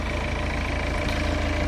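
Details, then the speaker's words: BMW idling just after first start following turbo rebuild and replacement, fresh oil added, plastics not yet refitted: smooth even low idle with steady beat, no knocks, ticks or whistles; no leaks, no smoke, healthy. "No big leaks or nothing. Car sounds good. No smoking. Clean as a whistle."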